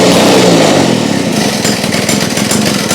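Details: Restored Victa two-stroke go-kart engine, just reassembled with the centrifugal clutch refitted, pull-started: loud, crisp buzz settling into a strong, steady run with no misses or knocking; normal running.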